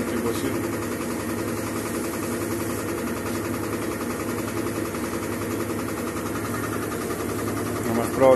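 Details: Mabe washer-dryer tower that is noisy in the spin cycle and leaks water during the wash: a loud, steady rumbling drone with a rough mechanical undertone. The transmission bearings are worn and the basket is completely loose; damping problems are also suspected.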